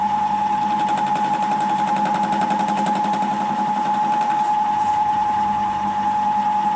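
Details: Milling with a face mill after reworking its 50 mm MT2 sleeve to fit against the 70 mm MT3 bore: steady ringing tone with an even, quick cutting patter, no chatter; consistent finish, cutting cleanly.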